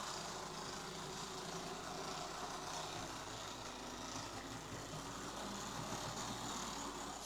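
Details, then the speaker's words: Bachmann Class 24 model locomotive running: a quiet motor hum with an uneven, fast clicking rattle. A drive shaft issue is suspected, not yet confirmed. "Yeah, that doesn't sound too good. Sounds like a drive shaft issue."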